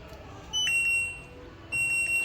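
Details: LG inverter front-load washing machine whose start button had not worked while other buttons did. Loss of touch-pad sensitivity was blamed. On test the start pad gives two short, clean high-pitched beeps a second apart and responds normally.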